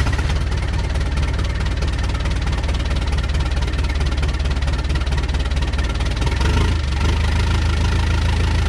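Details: Rebuilt Mitsubishi 4D55T diesel in Dodge Raider/Montero, totally cold start after lots of glow plug: uneven stumbling knock with dropped beats and white smoke; misfire from air in fuel lines from slightly leaking injectors, two and three worst.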